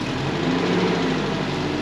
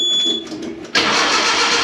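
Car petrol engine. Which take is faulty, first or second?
second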